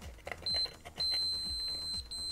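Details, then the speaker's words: KSGER T12 soldering station with unearthed metal case, continuity tester probing the scratched anodized underside: a sharp high beep, then steady as the probe cuts through the coating; there is continuity, so the case is an unprotected shock path. "get continuity but you can see soon as we come into those scratch marks we have an electrical path"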